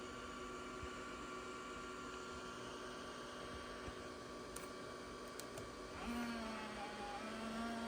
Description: This is a non-working 2004 IBM ThinkPad T42 with a cracked laptop screen and making loud, dodgy, strange noises during boot up.